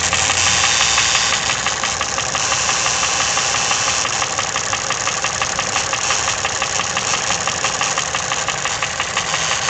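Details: Toyota 1KR-FE engine running with new timing chain, tensioner and guide: sharp fairly even rapid knock about three per second over a hissy background; cause unknown.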